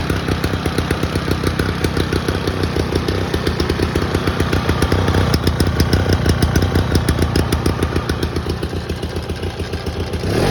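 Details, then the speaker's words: 1987 Toro GTS mower with 2-cycle Suzuki engine, new old stock Mikuni carb, cold start: crisp, rapid, even two-stroke popping like a dirt bike at idle, rising slightly at the end; normal running. "I love this thing. It sounds awesome. It sounds like a dirt bike when it's at idle."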